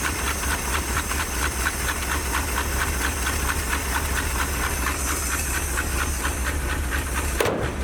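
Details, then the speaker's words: 1977 Dodge D150 Adventurer 360 V8, after sitting 12 years: rough loping idle with uneven thumps over a hiss, missing on a cylinder or two; owner suspects chewed-up plug wires. "I don't think we're running on very many cylinders. Those plug wires have been chewed up really bad."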